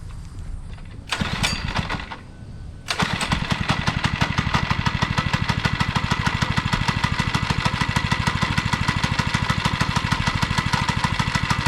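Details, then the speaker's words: Monster Moto two-stroke minibike after carburetor cleaning and fresh gas: a few pull-start cranks, then it settles into an even small-engine putter about three beats a second; running, though idle slightly off and throttle cable needs adjusting. "all right the idle is a little off so I got to adjust the idle the throttle cable"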